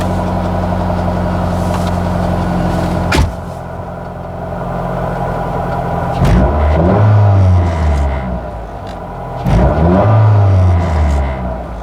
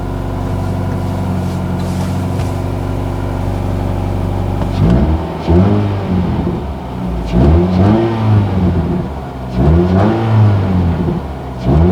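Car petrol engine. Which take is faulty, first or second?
first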